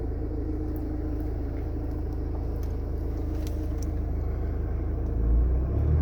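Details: Mercedes A-Class 1.7 CDI diesel: deep rumble with faint irregular ticks on top, rising briefly near the end; abnormal engine noise, owner unsure of the cause.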